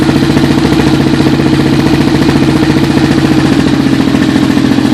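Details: Suzuki LTR 450 single-cylinder after rebuild: settles straight into steady even thumping idle with light mechanical chatter, no knocks or misses; healthy.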